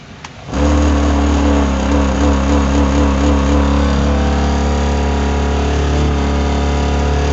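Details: Mitsubishi Montero, about 2000: A/C ventilation blower switched on with ignition, steady low hum with a wavering warbling tone from worn blower motor bushings; noise started after a trip, blower under passenger side dash.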